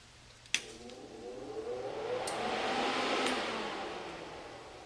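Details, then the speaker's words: Wide-format laminator fans, which run whenever the machine is on, in motion or not, switchable to front table fans only or cooling plus vacuum table fans; steady even airy whir after a switch click, no rubbing; normal. "They run all the time, so whether or not the machine is in motion, you will get the fans when you turn it on."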